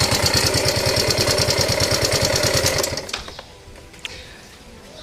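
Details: Yamaha Ego Solaris scooter engine at a steady idle, sounding very rough: a harsh clatter of about three knocks a second, then the engine cuts out. The cause was a worn cylinder and a broken cam bearing.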